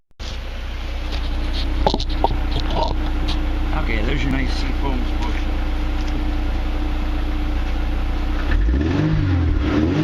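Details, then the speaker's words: Mercedes W202 C230 after throttle body removal and cleaning, Seafoam burning off from intake manifold: even running, smooth clean free revs with no knocking or stumbling; normal revving. "Take a few minutes to burn off, but anyway, that's about it. Let's rev it up a bit more and see how much smoke we can get out."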